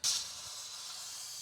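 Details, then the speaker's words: Wayfinder Go Lite RV during dewinterizing, system refilling: steady hiss of air spitting from the faucet with no water yet; trapped air purging from the lines as expected. "Getting to the end. Got a lot of air coming out. Any second now, you can get that water coming out of here and then uh we'll be ready to"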